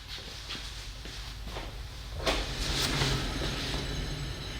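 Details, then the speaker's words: 2013 Toyota Highlander 4WD Limited, 171,000 miles, humming while driving: hand-spun rear wheel on lift gives a rough, gritty grinding hum, mic close; worn driver side wheel bearing. "we got the winner it's a driver side wheel bearing let me bring the camcorder closer so you can hear it too so listen from the close the microphones are closed hopefully you will hear that grinding humming sound"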